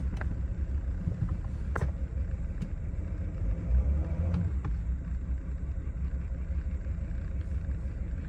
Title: 2020 Mercedes-Benz Sprinter Rough Idle after start